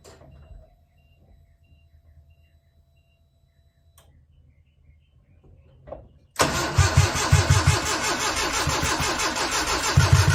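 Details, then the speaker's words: 1995 Nissan truck, carbureted, with new wires, plugs and battery, firing order verified: after a quiet stretch the starter churns about three even pulses a second and never catches, same even with starter fluid; owner suspects a fuel issue, compression and timing chain unchecked. "okay so that's how it sounds it sounds like it's about to fire up um so it may be a fuel issue"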